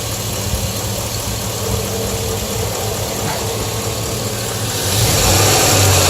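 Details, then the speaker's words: V8 truck idling then briefly revved, light fast ticking; owner says it's normal injector pulsing and noisy valvetrain on these engines; oil pan new. "it might be look a little bit of it like a clunk or like a tongue sound that's just the valvetrain mouth painter on these engines are noisy"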